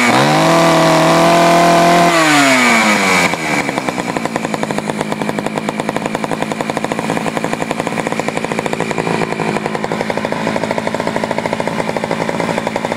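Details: Poulan 4200 chainsaw, fired up from a cold start, reported running a little lean: high revs drop abruptly to a fast, slightly uneven idle putter. Lean low-speed mixture suspected.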